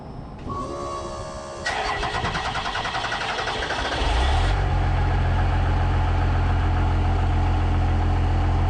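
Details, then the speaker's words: First-gen diesel truck with a P-pump, started on a borrowed battery with a loose positive terminal: starter churns a few seconds, then it catches and settles into a deep, even, strong idle; healthy, though it later wouldn't shut off (not a runaway). "Guys, she's ripping. She is ripping. Man, she sounds so good."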